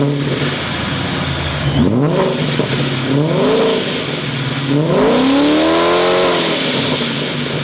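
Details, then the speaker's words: Procharged Coyote V8 Mustang after installing Borla XR1 3-inch mufflers in place of a restrictive exhaust: deep V8 blips rising and falling sharply with a loud, raspy bark; revs freely and cleanly, very loud. "oh, that's loud. Oh yeah, that's loud."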